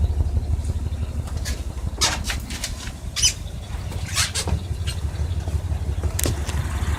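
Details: 1992 Ford Econoline E-150 4.9L inline-six idling rough in drive and park since Hurricane Irma, with no improvement from a Lucas oil additive: low, uneven loping idle with occasional stumbles under light clatter; cause not yet found.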